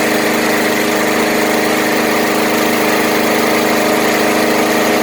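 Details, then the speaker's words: Murray 20-inch Select mower with Briggs and Stratton engine after cleanup, wire-brushing, fresh fuel, HD-30 oil and coil gap reset to four thousandths, running at a steady even buzz with no surging, misses or hunting; sounds brand-new. "wow what a difference it sounds like it's brand-new"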